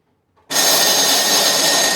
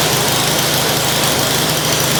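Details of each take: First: Curb-find snow blower electric start plugged into an extension cord, button possibly sticking: steady high whir from the starter with no compression chuffs; starter motor spins but the engine is not cranking over. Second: Curb-find snow blower, small single-cylinder engine, started with brake cleaner: steady, even buzz at constant speed with no misses; engine and auger appear to work normally.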